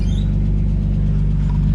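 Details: RB25DET Nissan S14 after new fuel line and fuel pump o-ring: deep, even exhaust rumble with steady firing on throttle, no misses or knocks; engine pulls cleanly and runs healthy.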